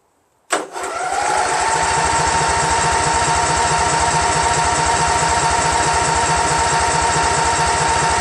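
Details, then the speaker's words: Craftsman GT6000 tractor, Briggs & Stratton Vanguard 16HP horizontal-shaft engine, after swapping in a second fuel pump; steady starter whine, even compression pulses just over two per second for eight seconds, never catches; crank no start, no fuel reaching carburetor. "you know I still don't see any gas then we see gas before damnit yes ain't got a fire without gas"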